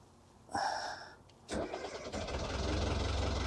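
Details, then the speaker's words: Boat diesel engine with glow plugs heated about 20 seconds, not run in a while, oil poured on valves, throttled up slightly: cranks briefly, stumbles, catches and settles to a steady even low rumble, no smoke; normal cold start. "There she goes. Okay. So it's going to let her run. I don't see any smoke. That's a good sign. So she's purring like a kitten."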